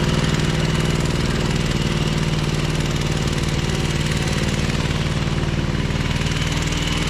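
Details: Ferris 52-inch commercial walk-behind hydro mower, twin-cylinder engine, oil-burning: lumpy uneven idle with a missing pulse and smoke, worse and low on power when PTO engaged; one cylinder dropping out.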